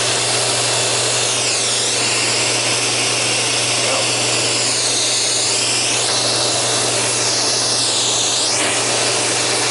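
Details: Sharp Twin Energy upright vacuum after a tune-up, with the brush roller run in and lubricated and the old filthy filters still fitted. A steady high whir with a constant low hum and no rattle or scraping: running smoothly.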